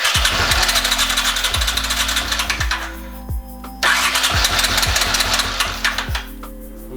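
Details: 1981 Honda CX500 Deluxe barn find, hot-wired, fed a few ounces of gas from a water bottle to the carb: starter whirs in uneven bursts around four pulses a second, catches briefly then dies; cranks without starting.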